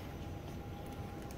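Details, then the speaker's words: ARTJET acrylic bonding machine: after a quiet hum, a steady high-pitched beep starts and holds. This is the low-fluid alarm, which sounds when the sensor is plugged in with the opaque tank empty. "그 탱크가 까매서 액이 안 보여요. 그래서 이 액이 없을 때 얘를 꽂으면은"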